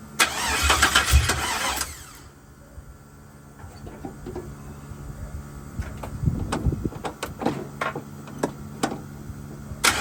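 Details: 1979 Chevrolet C-10 with LS-swapped 5.3 V8, first start attempt with fuel pump relay bypassed: long cranking catches into a brief uneven burst, then stumbles and fades out; hard start.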